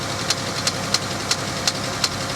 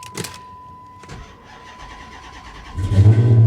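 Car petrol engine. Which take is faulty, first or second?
first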